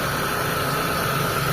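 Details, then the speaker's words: Mitsubishi Lancer run again after sitting unused for a long time, with a non-working idle servo (about 1100 rpm, 800 rpm with aircon): a smooth, even idle with a steady low hum and faint constant hiss, no knocks or ticks. Engine quiet and okay. Normal idle. "Sa makina okay naman, tahimik."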